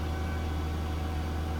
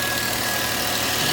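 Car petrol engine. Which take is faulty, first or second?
first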